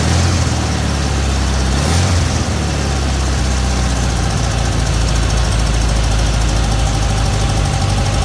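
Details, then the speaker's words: 1968 VW Beetle with points ignition, after a tune-up and distributor cap and rotor fitting: steady, even low chug from the air-cooled flat-four with no misses or knocks. This is a normal, healthy idle. "But altogether, you know, got a pretty good run of beetle right now."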